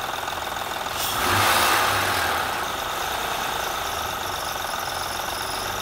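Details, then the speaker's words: 2007 Honda Odyssey Touring 3.5 at idle with a quick even tick three to four a second from the accessory-belt pulley side; mechanic suspects the timing belt tensioner, alternator bearing also noisy, not confirmed. "vamos y lo detectamos mejor si se escucha seguramente es el tensor de la banda el que está provocando este ruido"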